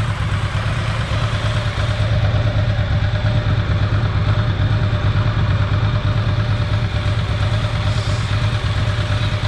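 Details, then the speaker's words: Ducati ST4S after throttle body balance and idle mixture setup, warm at 104 degrees with thermofan running: steady, even lumpy V-twin beat at about 1100 rpm, no knocks or misses — normal idle. "so now it's idling at about 1100 rpm still it's at 104 degrees and the thermofan is running which is good"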